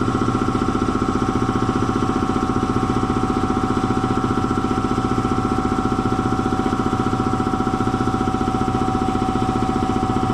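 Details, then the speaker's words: Belt-driven air compressor after oil change to synthetic, still slowing down: steady pumping thump around 220 per minute losing speed; drive belt found way loose and slipping, to be tightened. "I need something to push on that belt with. That belt might be a little bit loose."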